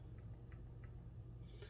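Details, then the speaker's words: Loose motor mount during spur/pinion gear mesh setup, motor not yet moved forward: light sharp clicks about three times a second over a low hum, too much play between spur and pinion gears, excessive gear lash. "See, like right now, it's making all kinds of racket."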